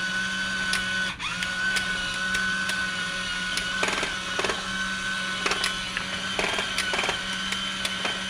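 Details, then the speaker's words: Discovery Mindblown 4-cylinder model engine kit, electric motor running: steady high whine with irregular clicky bursts about every second; motor gear skipping on drive gears. "Interesting how it skips a little bit. Wonder why. This is it running. My gear is skipping a little."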